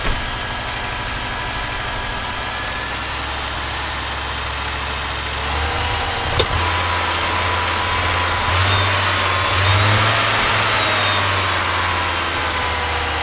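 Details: Audi 2.2 Bosch K-Jetronic, new old-stock Bosch injectors, mixture weakened one turn, just started via cold start valve: low wavering uneven idle rumble; owner plans removing metering unit to set sensor plate height so it starts and runs.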